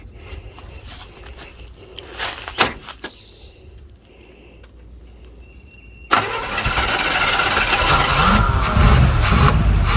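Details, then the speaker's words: Old small-block V8 in a Camaro, fired on fuel poured in from a bottle: abrupt start settling into a strong, even loping idle; engine healthy and tough. "you cannot kill an old small block you just can't tough as Nails"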